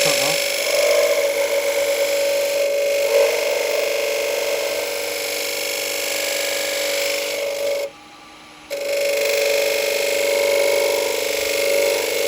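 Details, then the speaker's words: Woodturning lathe, hollowing a bowl with a half-inch spindle gouge: a steady high-pitched ringing whine over the cutting noise, briefly dropping out; chatter from the thin bowl wall flexing, which stops once the right cut is found. "Now you can hear it, and it's because it's flexing a little bit on the side. But if you persevere, if you get the right cut, you'll know when you've done it because the sound goes."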